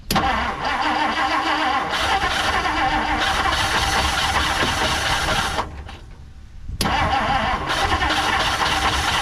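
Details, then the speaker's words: 1959 Plymouth Savoy, jump-started with a booster pack after gas was poured into the carburetor. It catches and runs rough for a few seconds, cuts out, then is cranked and fires again. Oil checked fine. "a well I had it running for a second sounded terrible though"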